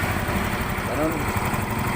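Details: Yamaha Mio i 125 scooter, previously cranked without starting, after spark plug gap check and electrical fix: steady, even putter at idle with no misses; normal idle.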